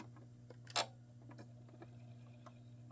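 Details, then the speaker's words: Sega Mega-CD (with Mega Drive model one) not recognizing an inserted game: faint irregular ticks over low mains hum as the drive keeps seeking without reading. "I think it's time to uh shut her down and take that drive out and actually go through it because there is something very very odd going on here"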